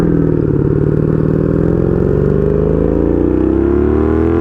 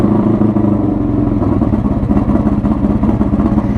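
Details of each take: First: 1982 Honda Magna V45 VF750C V4 with straight pipe, after a short ride: idle has a slightly lumpy, wandering beat with pitch drifting upward; owner believes carb synchronization is needed. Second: 1982 Honda Magna V45 VF750C V4 with straight pipe, foil-sealed, cold start: loud, raspy, throbbing idle with open-pipe bark, firing evenly without misses; normal cold idle.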